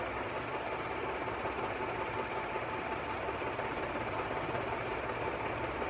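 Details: Canarm 48-inch three-blade industrial ceiling fan, made October 2011, motor arrived frozen and was heavily oiled: constant rushing air with faint steady tone and gritty rasp throughout; motor bearing grinding, still some resistance.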